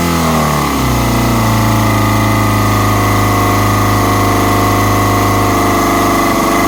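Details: Kawasaki ZX-6R four-cylinder: revs drop quickly, then a lumpy uneven idle with faint stutters under the buzz; lean running from an intake vacuum leak.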